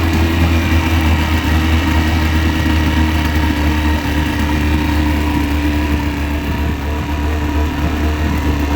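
Steady low outboard idle with a dull, loosely paced knock under the running note, which fits piston slap in the cylinders.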